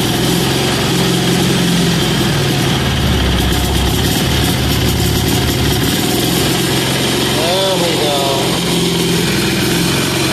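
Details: Amazon 186FA single-cylinder diesel engine, warm, running on filtered used synthetic motor oil after starting on diesel: steady, even chug holding constant speed with no misses or stumbles; normal idle.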